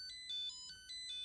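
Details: Nickel strip spot welder beeping continuously in a rapid two-tone chirp, about three per second, with no message on the OLED; its cell measures 2.7 V. Owner suspects deliberate over-discharge protection, unconfirmed.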